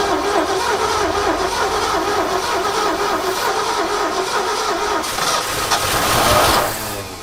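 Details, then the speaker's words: Abandoned 1969 Ford F100 sitting over 30 years: engine catches and runs rough a few seconds, then dies once the key is released; ignition switch feed suspected, wire run straight to coil to test. "It's acting like it's losing the fire as soon as I let off the key. So I'm gonna run a wire straight to the coil there and just try that, see if there's something funky in the switch."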